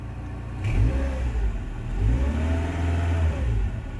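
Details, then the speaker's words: Rover 45 Impression CVT, 1.8 K-Series, after full engine service (new genuine oil filter, Denso plugs), jacked up, revved in cab: faint whirr remains, noise quietened down completely; slight over-revving still present, engine suspected, not a sensor. "You can still hear a little bit when I rev it up, but no way. That sound has quietened down completely."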